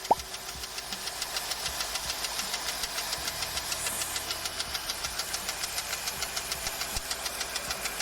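Sharp regular knocking, about two a second, standing out over a hissy running engine. A real internal knock; the cause needs a teardown. Cause suspected, not confirmed.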